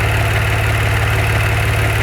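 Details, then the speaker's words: 2014 Maserati Ghibli SQ4 at idle: constant low droning howl starting a couple of seconds after startup; stops with the dipstick pulled. Fixed by replacing the oil vapor recirculation system (blow-by breather pipe assembly). "So note, it doesn't start making the noise right away. Only after the engine's been running for, say, a couple seconds. Pulling the dipstick to it. When I pull the dipstick, the sound goes away. Sound goes away."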